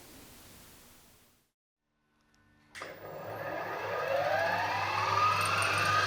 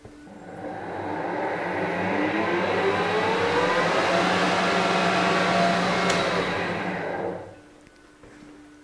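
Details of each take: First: Harrison HS170 universal milling machine spindle at full speed, 1500 RPM, after changing the main motor bearings (motor shaft was also extended): motor winds up with a smooth, steadily rising whine and even hum, no knocks or grinding; normal spindle run. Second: Harrison HS170 universal mill, main motor test run with gearbox belts on, low range; gear whine over steady hum rising then coasting down; noisy main motor whose bearings needed changing, motor removed for bearing replacement.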